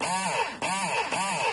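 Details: Thetford cassette toilet flush pump after freeing the seized motor's impellers: smooth whirring rising and falling about twice a second, no grinding or stalling; pump now works normally.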